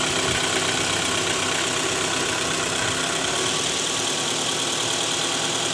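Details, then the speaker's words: 2012 Toyota Alphard ANH20 2AZ engine, 101,000 km, idling in D: faint irregular metallic jingle from the oil pan area, worse at cold start with A/C on; balancer shaft rattle, shaft later found worn and loose. "Oke, teman-teman. Jadi, kemungkinan besar suara itu berasal dari balancer. Terdapat sedikit bunyi berderak di area bak oli mesin karena jarak tempuh yang tinggi."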